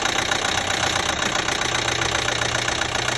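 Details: 2012 Chevy Equinox 2.4L at idle: fast light steady ticking keeping pace with the engine; top-end tick, cause unconfirmed.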